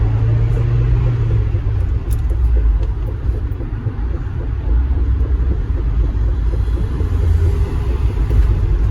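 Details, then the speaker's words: Mazda Miata MX-5 driving: low, steady hum and whirring under road rumble that grows when speeding up, from a suspected worn rear wheel hub bearing; fix is replacing the rear wheel hub knuckle. "And to make sure that your wheel hub bearing is going out, you're gonna usually have these whirring sounds, usually like something when you're speeding up."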